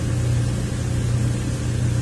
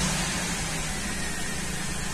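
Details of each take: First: 2003 Ford Windstar 3.8 V6 idling in closed loop, long-term fuel trims around +22 and +14 percent, misfire diagnosis underway: deep, even idle hum with steady low rumble and no stumbles or missed beats. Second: 2003 Ford Windstar 3.8 V6 at idle, plugs changed a while ago, runs rough; cylinder contribution test flags cylinder six: heavy hiss with a slightly uneven low beat; misfire later traced to a faulty ignition coil.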